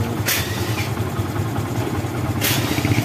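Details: Yamaha Bison motorcycle that backfired on deceleration, after plugging the emission hose from the head and the hose to the intake manifold: steady low putter at idle with an even exhaust beat and no popping. Clean normal idle after the fix.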